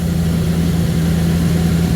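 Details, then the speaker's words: 1979 Ford Thunderbird after fuel system rebuild (new rubber lines, fuel filter, fuel pump, sending unit), running on its own: steady, even idle with a smooth low rumble and no misses, knocks or stumbles; sounds healthy. "and she sounds healthy listen to this Lena wants to live Lena's going to live"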